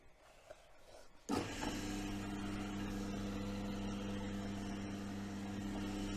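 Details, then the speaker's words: Woodturning lathe cutting laurel: motor spins up to steady, smooth hum with soft, even hiss from the cut, no chatter or labouring, no stress on machine; normal cutting. "I always say with with turning it's not just seeing how the shavings come off it's actually you can actually hear it you get that lovely hissing sound um and there's no stress on the machine and and the operator"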